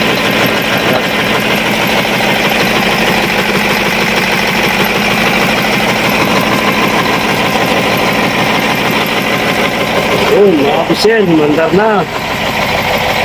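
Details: Cat 3208 starboard marine diesel running after repairing the plunger and barrel, which had stuck from corrosion after 18 months: loud, steady diesel clatter with an even rhythm and a brief rev near the end. Running properly.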